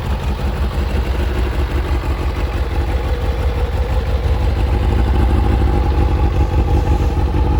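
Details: Kawasaki ZZR600 after fitting a Micron exhaust and carb resynchronisation, now starting first time: deep steady exhaust burble swelling smoothly as revs rise, no knocking or misfire; normal idle and revving.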